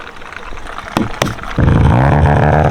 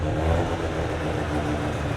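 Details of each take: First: Mazda RX-7 rotary, just filled with an ethanol mix, gives a couple of sharp bangs then settles into a deep, smooth, steady drone with an even burble and no misfires; owner says it runs smoother on ethanol than pump gas. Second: Mazda RX7 rotary on its first drive with a rough tune: it needs a quick splash of fuel, then cuts fuel as RPM rises. Uneven, stumbling note with revs hunting and catching rather than pulling smoothly. Running rough.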